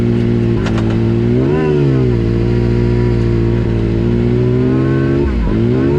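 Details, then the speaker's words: Yamaha YXZ with newly installed Agency supercharger (stiffer bypass valve spring, smoke-tested vacuum lines, 4-5 lbs boost): first-gear acceleration climbs then sags and stumbles with lumpy burble, near backfire, bogging; only pulls when wound out, feels like stock; cause unknown. "you can hear it bogging down pretty bad first gear when I first hit it it barely responds it kind of burbles and almost backfires"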